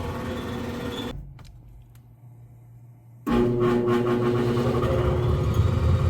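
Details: Brand-new OEM blower motor with new mounts and capacitor, run on high speed only (other speeds taped off), fan-only mode; drawing 9.1 A of 9.5 A rating. Loud steady hum with rough whirring, as the old oil-type motor made; new motor suspected defective.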